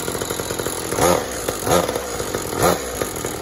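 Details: "49cc" two-stroke mini moto, freshly clearcoated and assembled, started for the first time; it buzzes at idle and rises in three crisp throttle blips about a second apart, picking up cleanly, though the owners note it needs a rebuild.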